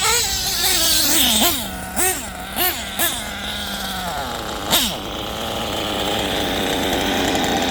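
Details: Nitro RC buggy engine after LRP exhaust leak fixed, still tuning: buzzy blips settling back, then steady high rev, clean response; normal running until it ran out of fuel.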